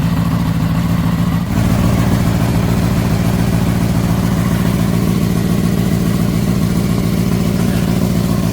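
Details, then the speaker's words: Crashed, pond-submerged Honda CBR600RR first run after revival with rags removed from intake; steady four-cylinder idle, runs well, sharp puffing tick about three per second suggesting an exhaust leak. "Wow. Runs wicked good. Sounds like it's got an exhaust leak though."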